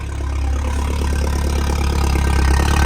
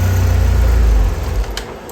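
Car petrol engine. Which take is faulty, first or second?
second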